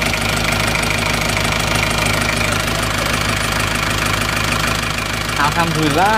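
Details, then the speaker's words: Isuzu Panther 2.3 diesel idling after engine repair reusing worn liners: steady, even idle with regular clatter, no misses or knocks; engine smooth, exhaust no longer smoking. "mesin juga sudah halus buangan sudah tidak keluar asap"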